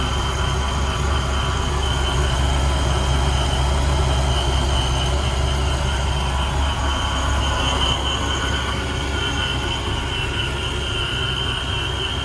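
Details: 1994 Impala SS with blower, after replacing the Racetroix fuel pump relay to fix an intermittent fuel pump fault: strong, steady run with a constant high blower whine over a low rumble, no stumbling or cutting out.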